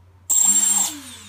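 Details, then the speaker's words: Emax Nighthawk Pro built-in BLHeli ESC after active braking enabled via throttle programming: motor whine cuts off within about half a second, braking to a stop instead of coasting. "I can test to see whether number three is doing the same thing as one or two now so here we go yeah you know it stops forceful spinning"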